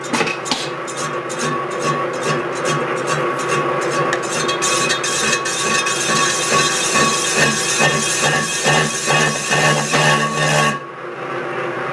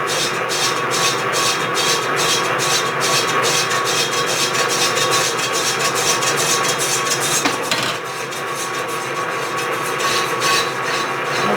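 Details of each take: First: Lathe turning a cast iron clam-pump impeller OD, about 20 thousandths per pass: rattling chatter about two hits a second with ringing tone; setup not rigid enough, needs stouter setup. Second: Lathe machining a cast iron clam pump, interrupted cut: steady cutting hiss with regular ticks, no ringing chatter; raising the feed rate reduced the harmonics, giving normal cutting with reduced chatter.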